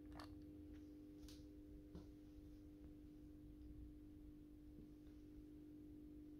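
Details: AEG Minikoffer West German aluminium post-top mercury vapor streetlight (80/125 W) on its first startup after rewiring per the ballast schematic, with a 125 W Osram Deluxe bulb. Faint, steady low hum at one fixed pitch while warming up: normal ballast hum.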